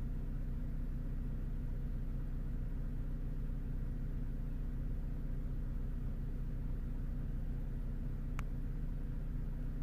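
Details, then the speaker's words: Vauxhall/Opel Astra H 1.8 after repair of a lean-running P0170 fault: smooth, even cold-start idle with no misses or hunting, revs about to drop; fuel trim now reads about minus 10 instead of maxing at plus 25. Normal cold idle. "yeah the car is running obvious is on the cold start soon it's gonna drop early be the revs"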